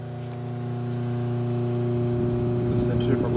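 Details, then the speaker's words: Vintage GE laundry (washing machine) motor, likely mid-1950s or earlier, 115 V, 1725 rpm, 5 A continuous duty, centrifugal switch, no capacitor, brass output shaft; smooth, steady low electric hum, quiet and healthy running. "it's a self-contained motor no capacitor so we're going to start it up it's pretty quiet as well so here we go"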